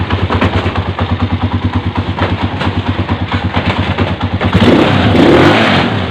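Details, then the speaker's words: Honda 155 scooter, previously noisy, after installing new camshaft, all covers closed: steady even idle about three pulses a second, then clean rev without rattle or tick; engine runs very smooth. "Yan mga pre, ito na yung kanyang andar at mapapansin nyo, napakapino."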